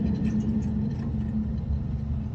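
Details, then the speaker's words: HVAC unit blower motor spun by hand with the belt off during maintenance: rough, gravelly rumble with wavering hum on spin-down; motor bearings bad, needs new bearings or replacement. "I'm going to give this a good spin. So if you can hear that, that sounds terrible."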